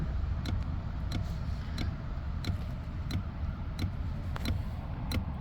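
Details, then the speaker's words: Nissan 370Z with a no-start, engine off. A sharp tick about every two-thirds of a second over a faint hum; something stays running and is suspected of draining the battery and causing the no-start: component running with engine off. "that's still going constantly then that's going to kill his battery and that could probably be why the car won't"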